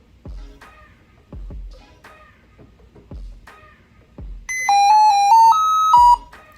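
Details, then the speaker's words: Lenovo ThinkPad X1 Carbon at boot with a black screen: a quick run of about six pure beeps stepping up and down in pitch, a musical tone error most likely from the screen or the system board. "So this is called by Lenovo a musical tone issue or musical tone error, and it basically means something is wrong."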